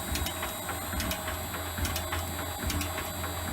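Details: Shaper refitted with its new replacement motor, running at 50 Hz, 67 strokes per minute: steady motor hum with an even clack, no grinding or strain; normal running.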